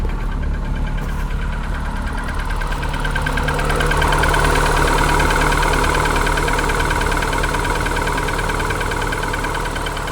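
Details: Cold-start idle of a Polonez Caro with K16 1.4 petrol engine in the morning at about 0 °C: hollow, regular knock about three times a second, piston slap.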